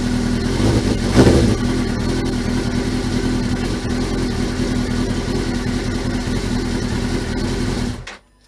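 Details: Suzuki GSXR 1000 streetfighter build after reconnecting the fuse box: engine runs steadily, a few revs pick up cleanly with no knocks or misses, then shuts off near the end; sounds healthy.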